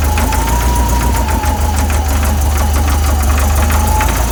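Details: VW 1641cc air-cooled engine, about 15,000 miles, standard crank and cam, twin DRLA carbs, knocking when cold; loud low rumble at cold idle with repeating knock, caused by play in the aftermarket crank pulley.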